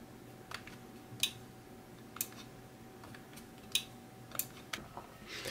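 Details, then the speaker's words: 1984 Sony TC-V10 tape deck on a rigged DC supply: sharp isolated clicks about every second against quiet as the relay switches when record is pressed. There is still no audio output and the meters are pegged. "see that's definitely doing the relay I can hear the relay clicking when I hit record"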